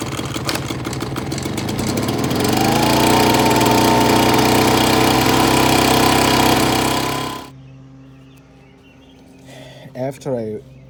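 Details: Ryobi backpack two-stroke gas blower, dead, after carburetor cleaning: raspy buzz climbs to a steady high rev for several seconds, then cuts out; now runs cleanly.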